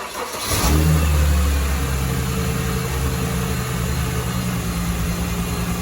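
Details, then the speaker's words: Mercedes SLK350 (R171) after replacing both idler pulleys and the belt tensioner: engine catches and settles into a smooth even idle with no chirp or squeal; the squeak was a pulley, not the alternator. "Oh, the crazy squeak is gone. So, it wasn't the alternator. It was one of those pulleys."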